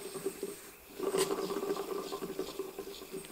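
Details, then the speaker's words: Skoda Octavia Magneti Marelli 100 A alternator, hand-spun after washing with grease solvent: light gritty uneven rattle; bearing balls running dry, slightly rusty, grease washed out; bearing replacement or refurbished unit needed. "Kolompol benne a csapágy. Hallatszik, hogy a csapágygolyók szárazon járnak, mert, mert kimosta a zsírt."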